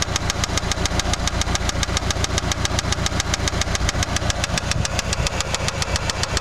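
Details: Eagle Talon ESi engine before rebuild: a sharp, regular metallic knock, about three and a half per second, rides hard over the idle; worn rod bearing knocking.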